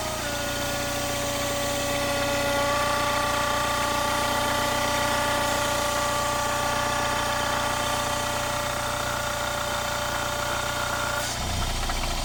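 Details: Mini Cooper S R56 at idle: constant high-pitched whine over a light regular tick, about four per second; the owner calls it a strange engine noise and doesn't know its source.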